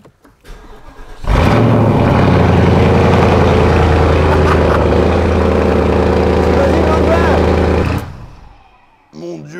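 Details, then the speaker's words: Car with straight-through exhaust, no valve, only a large muffler at rear, cold start: catches after cranking and runs loud with raw unsilenced bark and rev blips, noise should drop once warm; normal cold start. "non il y a pas de clapet là c'est direct il y a quand même une gros un gros pot derrière un petit peu sur la route mais après là c'est parce qu'il est froid après il diminue"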